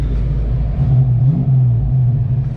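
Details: Project 4TO8 car idling in the shop on a freezing day with the defrost running, before its first drive: steady, even low rumble with soft fan hiss, no knocks or misses; healthy idle.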